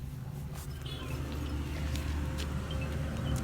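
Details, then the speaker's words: Steady low engine idle with no knocks while the steering is turned on a Maruti Suzuki Alto after fitting a new steering rack; it had knocked heavily when steered while stationary. "देख सकते हैं किसी भी तरीके का कोई भी आवाज नहीं है"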